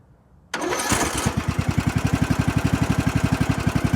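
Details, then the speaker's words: Lawn mower engine jump-started with an Imazing 2500 peak amp jump starter showing about 16 volts: quick crank, then it catches and settles into a steady, even putter of about four pulses a second, a clean healthy start. "So guys, you saw this thing fire up my mowers with ease."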